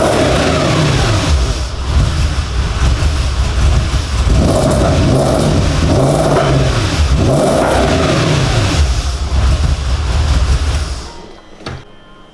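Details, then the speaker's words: Audi S4 4.2 V8 just started after about two years: loud revving up and down with an uneven, lumpy note; rough running, owner suspects vacuum leaks. "not running great i'm not gonna lie but again i think that might be vacuums"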